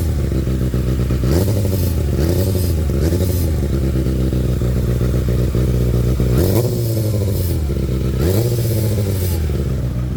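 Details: Kawasaki ZX6R: each throttle blip brings a harsh, gritty rasp over rising revs, fading back at idle; source undetermined; grinding noise when revving.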